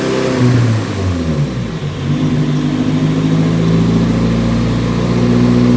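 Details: Nissan 180SX Type X, SR engine with TD06 20G turbo, 3-inch dump pipe and muffler delete, on the dyno at 15 psi with injectors maxed near 255 rwkw: strong, steady rising note through the pull with no misses, knocks or stumbles. Healthy under load.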